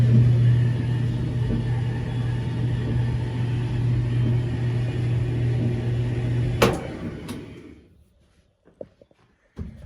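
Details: Whirlpool dryer drum running with a heavy, low, droning rumble, then stopping with a click; worn idler pulley, fixed by replacing the whole idler pulley assembly W10547292.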